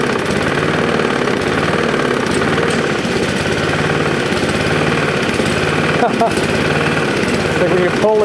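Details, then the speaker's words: Roadside-found Lawn-Boy push mower: small single idling with a dull, regular knock under the exhaust note; cause unknown, oil drained black without visible metal. "that sounds like it's got quite a knock"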